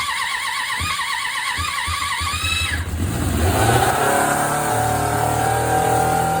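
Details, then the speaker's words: 1993 Suzuki GSX600F, carburetor problem, started on a jump starter after reassembly: catches after uneven cranking and races into a high, unsteady idle that won't drop. "thank you either was too high so let's just settle down let's switch the battery"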